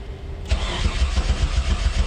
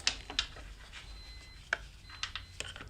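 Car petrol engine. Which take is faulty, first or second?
first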